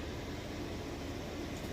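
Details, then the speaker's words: Maytag Bravos XL high-efficiency top-load washer with a heavy load of jeans and towels, final spin. A smooth, steady whooshing hum with no thumps or rubbing while spinning very fast; normal. "okay and we are back final spin it is spinning very fast"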